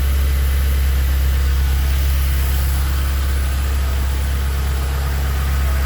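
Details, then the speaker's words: Honda CRX with swapped K24 four-cylinder on Haltech ECU, after confirming oil pressure sensor and fuel pressure (set to about 43.5) read correctly: steady, even low idle rumble, no misses, ticks, hunting, fuel or oil leaks; normal idle. "and she sounds really good this ising real nice no fuel Le nothing no oil Le sounds absolutely fantastic"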